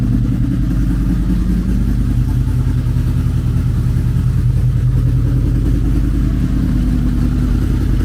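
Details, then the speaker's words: Wrecked 2006 Honda VFR800 from a salvage auction, first start after clutch repair with exhaust still damaged: loud, even V4 drone holding steady with strong low throb, no knocks or misfires; runs healthy. "Well, we have a runner, and I hope that brought as much excitement to you guys as it did for me, because I've wanted one of these. It sounds good."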